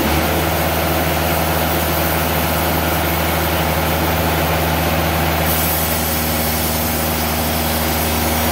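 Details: Timberking 2000 sawmill diesel engine making a cut with clutch engaged, after installing lube-system solenoid valve (water flowing): even low drone, slight tone change mid-cut; normal running under load.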